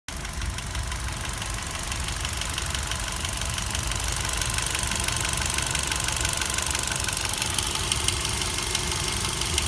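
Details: 2016 Kia Picanto 1.2L petrol with only 31,000 km, idling with a light, fast, regular ticking over the engine hum; cause unknown.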